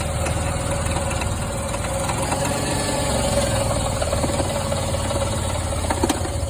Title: 2002 Jeep Liberty Lifter tick?